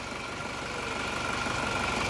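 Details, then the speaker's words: Diesel vehicle after repair: timing gear, nozzles, transmission bearings and coolant hoses replaced, thermostat refitted. The idle clatters with a slightly lumpy, uneven beat over a steady hum. It is better but still not running smooth. "mendingan mesinnya tapi kurang kurang rata menurut saya lihat dengarkan suaranya enak sebenarnya Tapi kurang rata"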